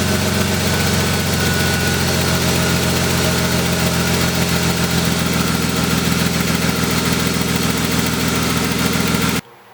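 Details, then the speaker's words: Crashed BMW E36 idling after startup: rapid puffing tick over the engine note from an exhaust leak at the header flange, which was not tightened properly. "right guys so as you did here the car is still doing the like so exhausting somewhere I did not do the header like tighten that properly so probably time to do that"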